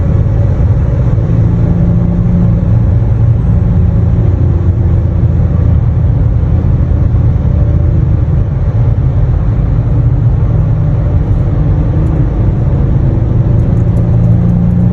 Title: Exhaust leak in a tunnel😅